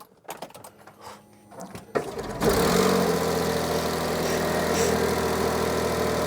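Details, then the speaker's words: 2011 Smart ForTwo 451 started for 30 seconds right after fitting a new genuine Smart exhaust, part A1324900015. A few clunks, then a steady even idle with no rattle or blowing, whereas before it was rattly, horrible and blowy. "better yeah yeah that's what I do mate just I do just to let things settle down she did sound horrible before didn't it was rattly and horrible and blowy"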